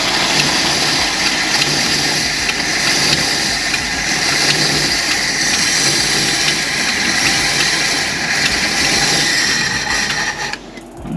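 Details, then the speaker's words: 1965 Ford Galaxie 500 project car being revived after many setbacks; a rough, uneven cranking churn with irregular firing pulses about three a second tries to catch but doesn't settle. Gauges show coolant temperature, voltage and oil pressure. Engine starting to catch. "It's doing something. It's wanting to."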